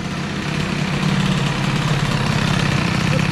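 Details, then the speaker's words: Stage6 65 two-stroke moped engine with a new piston, warming up after the mixture screw was closed half a turn. An uneven, lumpy burbling idle; it goes rich again, so the throttle has to be held. "là oh il s'enrichit le bordel encore c'est pas grave faut que je maintienne les gazes"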